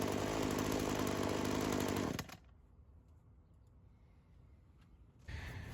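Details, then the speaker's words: Old Craftsman chainsaw that sat for years, two-stroke, after carb work; seals checked by tipping: steady, even idle burble for about two seconds before cutting out; carb holds a stable, normal idle, no head gasket or crank seal leak. "Yeah, I feel pretty confident in saying that that carb's acting a lot more natural. We checked the seals, we tipped it back and forth. The idle didn't seem affected enough to indicate any sort of, leak within the head gasket or the crank seals."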